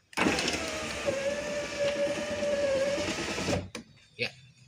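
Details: Power window after repairing gear that was jumping and making noise at the top: smooth whirring motor for about three seconds as the glass rises, stops cleanly in auto mode with no jump or crunch; normal.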